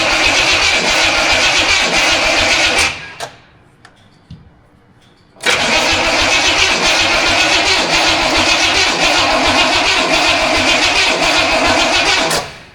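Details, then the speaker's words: Studebaker on its first start attempt after wiring, carbureted, possibly flooded, ignition "brain" just hooked up: two long spells of steady, brisk cranking with no firing stroke; cranks but no spark. "Well, I think the brains are on vacation. yeah, I don't know. What the heck's going on?"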